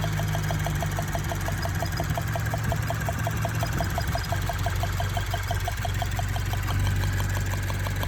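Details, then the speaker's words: Subaru BRZ direct-injection engine at idle, day after getting the car back: fast even light tapping about six a second; owner suspected lifter tick or injectors; engine threw a misfire code. Cause suspected, not confirmed. "The next day we start driving the car and we hear like a weird ticking, like a weird tapping noise. It almost sounds like it's a lifter tick."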